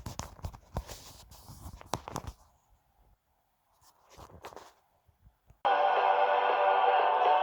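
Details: Zenith 500D transistor radio after repair: following handling knocks, steady clear music at good volume with no crackle or distortion; earlier distortion was caused by poorly matched push-pull output transistors.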